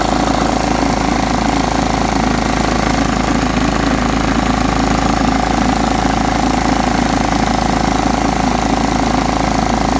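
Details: John Deere STX 38 riding mower, revived with a new battery: loud, steady single-cylinder drone with constant mid-pitch hum, no misses or knocks; normal running.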